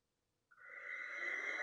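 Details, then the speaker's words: Nortel Networks Business Policy Switch 2000 from 2001, second unit powered on for the first time: fans spin up into a loud, rough, building whooshing roar, worse than the first unit; noisy worn cooling fans. "Oof. The fans are in worse condition, that's for sure. I'm actually catching the boot up this time. Oh, those fans are bad."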